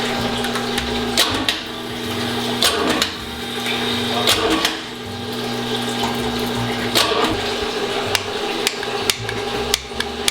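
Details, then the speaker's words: Outside-built engine with hydraulic cam on dyno during cam break-in, valve cover off while cranking: uneven sharp ticks and light clatter; one rocker arm sits off to the side of its valve, causing valvetrain ticking; engine also running lean with vibration. "got a lot of ticking noise underneath the valve cover so we're gonna remove the valve cover and see what's going on.. I don't know cam worn out or somebody dint get the rockers on correct.."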